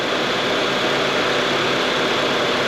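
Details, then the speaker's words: Honda CR-V after A/C condenser replacement, idling with A/C on max and blower on lowest speed: steady even hum with soft airflow hiss, no knocks, squeals or cycling clicks; normal idle, vent temperature dropping, system working. "all right compressor kicked on this is ambient temp and this is what's coming from the probe i have the ac set to max ac and the blower motor is on one speed one the lowest setting because the faster the air moves the warmer it can get"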